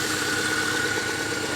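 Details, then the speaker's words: Car with disconnected vacuum line found: rough idle with ragged, unsteady exhaust rhythm and skipped beats, misfiring pretty good; later still a slight misfire after running; cause not confirmed. "sed oh yeah she's misfying pretty good there isn't she hey you can see that but then again that's not even on so we'll let it run for a little bit"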